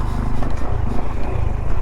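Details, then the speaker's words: 2021 Honda Trail 125 with stock fork spring, riding a rough desert canyon trail: single-cylinder thumping with dull heavy thuds over bumps; front fork bottoming, less than before but still clunking. "You hear that fork clunking now. So much for all my talk that it is better with the stock spring, but still bottoming."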